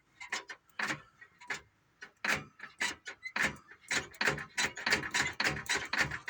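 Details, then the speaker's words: 1985 International truck transmission with PTO removed, turned slowly by hand: uneven metallic ticks and clunks about twice a second from the clutch area; broken clutch brake. "now when I move it it does this Oddball sound which is not good I guess that sounds like it's coming from the clutch"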